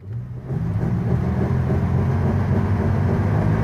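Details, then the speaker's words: 1973 Rover P6 3.5 V8 held at high revs: strong, steady, smooth roar with no knocks or misses, revving hard before settling; healthy engine. "3.5 V8S, baby, 1973. Revving like a lunatic. She'll settle down now."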